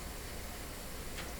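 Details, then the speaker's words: GE model 913-D clock radio powered through a dim bulb limiter, clock motor running with a steady low hum and hiss, noticeably noisy from about 3 feet from the microphone. "Okay, I can hear the clock running right away, and there it goes. A little noisy, that's for sure."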